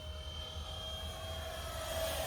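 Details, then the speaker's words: Durafly DH 100 Vampire electric ducted-fan RC jet on a ZOP 3300mAh 4S 60C LiPo, at full throttle: steady vacuum-cleaner rush with a clean high whine that holds even; healthy full-power run. "full throttle obviously there sounds like a vacuum cleaner of course anybody who's had this plane does exactly what I'm talking about"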